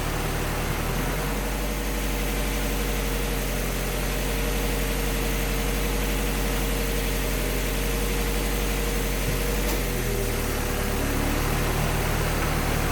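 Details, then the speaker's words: Project car warming up while heat-cycling to burp the radiator after a coolant leak repair, with fluids in, no leaks, and antifreeze being topped up: smooth, even idle with a steady low drone and no knocks, misses or hunting; normal. "we've got fluids in it it's not leaking and Liam's getting ready to start it up and we're gonna let it start heat cycle and burp the radiator and top it off"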